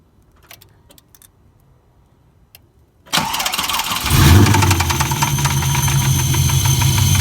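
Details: LS1 V8 cranks, catches and settles into a fast idle in neutral with a steady tapping knock about three per second; owner unsure whether it is rod knock or a collapsed lifter.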